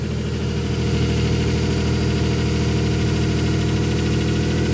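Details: 2007 Nissan Pathfinder V6 4.0, 5-speed automatic, cold start with raised idle: steady thin whine over the rumble, louder with revs, seeming to come from the transmission; fixed by a simple transmission fluid change.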